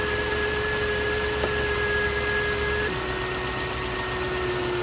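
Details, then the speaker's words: 2009 Range Rover Supercharged 4.2 at idle, probed with a mechanic's stethoscope: steady mid-pitched whine that steps slightly lower partway through; owner first feared the supercharger but suspects the alternator, source unconfirmed. "And it will amplify the noise. And it will help you pinpoint where your whine is coming from."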